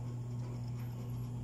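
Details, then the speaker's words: Dowell electric fan motor after adding a washer to replace the worn thrust washer and take up shaft end-play: smooth, even low hum, no rattle or wobble; the former rattle is gone, running normally. "So yun lang guys ang diferensya niya guys. Maugong na siya, wala na siyang ugong guys, wala na siyang ingay. Garalgal, wala na."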